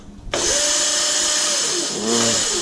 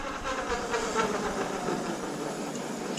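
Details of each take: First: Razor MX500/MX650 with a 2000 W Vevor brushless kit and 48 V battery at 54 V, fully charged, with the controller in its lowest speed setting. It holds a steady, fairly low whine that sounds weak: low motor speed in lowest power mode. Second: Razor MX500/MX650 converted with a 2000 W Vevor brushless motor kit on a 48 V battery reading 54 V, fully charged. In the top speed setting it gives a steady, even high whine with no knocks or grinding: normal running.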